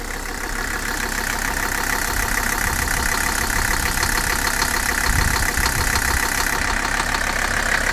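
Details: 300SD diesel suspected of bad bearings: idle clatter with a heavy, uneven knock about three times a second, believed to be the bottom end and linked to neglected oil leaks; engine knock at idle, not confirmed.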